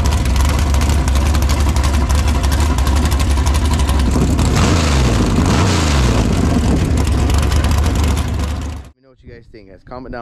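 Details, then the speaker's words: Tatum sand car V8 with a big cam, deep loud choppy lope at idle with a couple of quick rev blips. It sounds healthy. "sounds really really good when you hear this thing you can tell it's got a nice big fat cam very healthy"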